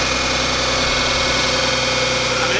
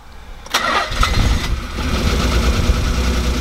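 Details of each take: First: The 300 after repairs: steady, even idle with a smooth hum, no misses or ticking; normal idle. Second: The 300, first start after retiming: it cranks, catches, then settles into an uneven, lumpy idle with a faltering beat; misfire.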